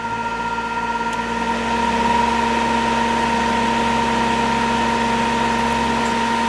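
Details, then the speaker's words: Cheap Whistler 100 W modified sine wave inverter (12 V in, 115 V 60 Hz out) running a fan on medium speed: harsh, steady fixed-pitch electrical buzz over the fan hum. The motor strains, unlike its quiet, smooth running on line power. "all right now we're plugged into the inverter I'll notice it does not sound [Music] right medium hello speed isn't that bad but that motor is not liking that"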